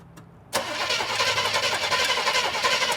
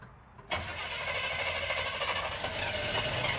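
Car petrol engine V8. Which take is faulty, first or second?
first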